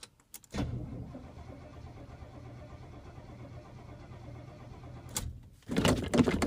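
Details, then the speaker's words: Cold start: the starter catches, then the engine fires unevenly with a stumbling, sputtering, thumping beat before it steadies. Sputtering cold start, cause not yet known. "oh it sputtered come on there we go she's ready to go"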